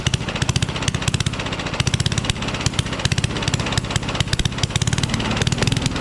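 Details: Rally push mower, Tecumseh Eager 1 engine, no muffler found: harsh, ragged, unmuffled popping exhaust with uneven stumbling beats; runs rough and very loud, only starts with starting fluid.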